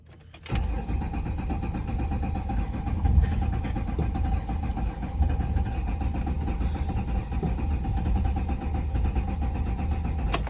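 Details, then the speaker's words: 2007 Ford Mustang 4.0 V6 with rebuilt engine, new head and new fuel pump, no error codes: about ten seconds of steady whirring starter cranking, never fires even with gas, owner notes a mechanical sound; crank no start. "so when i try to crank it turn that off it makes this sound give it some gas nothing"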